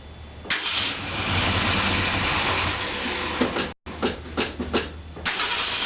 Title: 1966 Mercury Park Lane 390 Grumpy cold start no choke exhaust leak